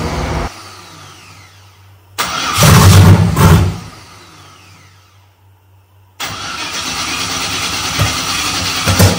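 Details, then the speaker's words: Gen 3 turbo LS engine on Holley Terminator X, project drag car: cranks then three or four loud pops before catching, backfire hiccup on startup caused by cam sensor moved back-to-front with outer two wires not flipped; fixed by swapping them. "but then I hear all those Pops I you just heard and I knew instantly there was something wrong and there's something more going on that I need to figure out"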